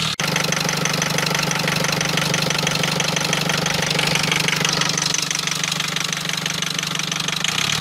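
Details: Rover diesel engine at idle, a steady even knock about three per second over a rattly diesel idle; something knocking inside, cause not yet identified.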